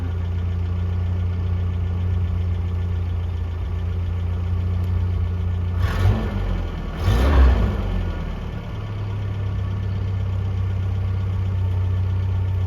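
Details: 1982 Toyota SR5 4x4 pickup, carbureted, after replacing the emissions control computer box: steady low idle holds evenly, picks up cleanly on two brief throttle blips and returns smoothly; idle and stalling problem fixed.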